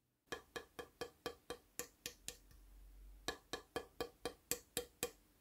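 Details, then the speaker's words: East German Migma flattop/archtop hybrid guitar, finger taps on headstock: later taps ring duller and buzzier where a corner of the headstock overlay is loose. "part of the headstock overlay is loose and again you can hear it just by tapping on it listen to how the sound changes"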